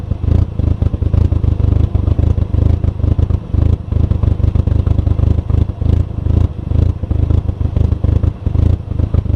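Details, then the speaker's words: VW MK4 GTI after new MAF sensor and spark plugs: deep lumpy idle with uneven stumbling exhaust pulse, sounding like running on two cylinders; rough idle, possibly a misfire. "As you can see, we got an aggressive cam in this thing, so it almost sounds, well, it runs off of 2 cylinders when it's idling."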